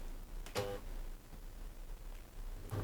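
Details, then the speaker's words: Dyson CR01 Contrarotator washing machine starting a 30° cotton cycle with 1400 spin: one sharp click as the door locks, then a low steady hum as the pump starts; both sound normal. "that was the door lock now the pump I can hear"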